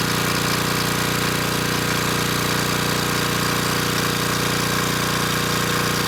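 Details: Coleman Powermate Pulse 1850 generator (1996 engine), after repair and governor speed reset to about 62 Hz, carrying a space heater slightly above its 1500 W rating: steady, even drone, no surging or hunting, voltage held at 114 V; normal running under load.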